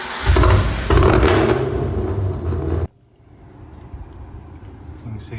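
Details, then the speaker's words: Fifth-gen car hot start after about a 20-mile drive, engine fully warm, following a new starter and heat blanket install: hot engine cranks briskly for a couple of seconds and catches without hesitation, heat-soak hard-start gone. "Starts up strong. I'm pretty sure that's going to take care of the problem."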